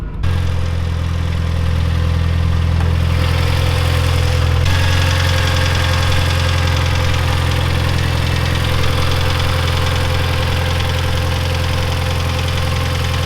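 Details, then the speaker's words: Neglected Mitsubishi Evo 9 at idle with a light, uneven tick about four times a second over a low drone, a valvetrain tick that the buyer suspects is lifters; the car needs motor work and has a badly slipping clutch. "I still think it's the lifters. It sounds like lifters to me."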